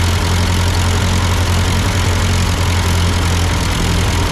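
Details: Ford 8N tractor at idle with no load, just after a carburetor adjustment. It had sputtered uphill, blamed on a cheap Chinese carb; an old Marvel-Schebler ran fine. Deep, steady rumble with even beat, no misses: normal idle.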